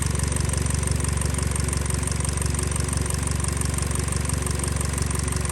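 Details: 2013 Hyundai Elantra 1.8L idling after a crank-no-start was fixed: a steady, even idle with a regular low pulse and slight roughness (the engine shakes a little), with no knock or tick. Cam/crank correlation is known-good.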